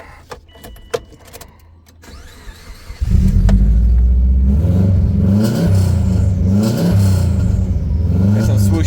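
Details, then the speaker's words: Subaru Forester XT with Cobb 3-inch catback exhaust, which has a valve cover oil leak: engine fires and rumbles loudly with whooshy swooshy surges on start and revs; cause of the whoosh not confirmed, owner thinks it doesn't sound too bad. "some swooshy noises. Doesn't sound too bad."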